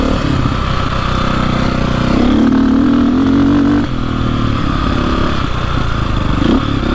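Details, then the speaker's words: Warmed-up KTM 400 EXC/450 single-cylinder dirt bike that idles fine and has not overheated. Riding through first to third gear, revs surge then sporadically bog, with less power than expected. Cause unknown. "like once in a while it opens up like that and uh you're like oh it's fixed but then on first second third gear it's really weird"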